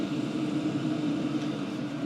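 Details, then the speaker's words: 2024 WIPPRO 8 kW diesel heater six minutes in, all six stages lit, firing at full capacity. Smooth steady fan rush with a constant mid tone and no clicking or ticking; just the fans, running normally at full power. "but one thing you don't hear is it's not clicking there's no ticking noise it's just it's just the fans and I can deal with the fans"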